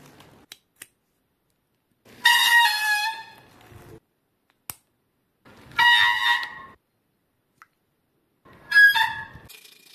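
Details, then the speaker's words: Bicycle hydraulic disc brake: three loud, high, piercing squeals, each about a second, caused by oil-contaminated brake pads. Fix is cleaning the brake and tightening the hydraulic line fixing bolt. "Huile sur la plaquette de frein. Retrait des plaquettes de frein du frein. Les deux plaquettes de frein sont lubrifiées."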